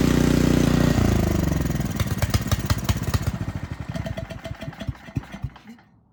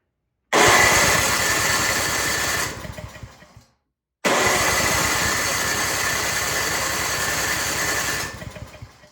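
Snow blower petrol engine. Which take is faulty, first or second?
second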